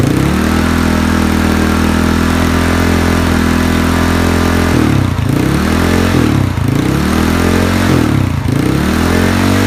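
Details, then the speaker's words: Yamaha Mio scooter just fitted with a Moxis 58.5mm bore-up block without squish head, 58 piston, stock valves, stock "bobok" exhaust: an even, steady idle, then three crisp throttle blips that climb and drop cleanly with no tapping or rattle, running healthy. "Oke, ini piston 58 klep standar memakai knalpot standar bobok."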